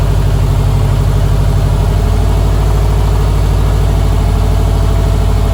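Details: 2006 Subaru STI idling after installing a complete new fuel setup (top-feed conversion kit, ID1050X injectors) and a new turbo inlet: a steady, even idle with a deep low pulse and no misses, knocks or hunting; the engine sounds healthy.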